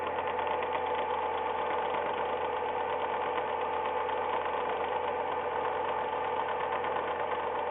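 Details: Ford Ka, first owner, 10,100 km, always on Ford-recommended oil; for six months a fast, even light tek-tek ticking over steady idle only when the engine is cold; mechanics disagree, cause unknown.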